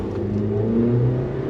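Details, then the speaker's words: Suzuki Jimny with replacement engine now running, automatic: engine revs smoothly and settles back, even note with no knocks or rattles, sounds good and has a bit more power; normal running engine. ">> Oh, it sounds good now."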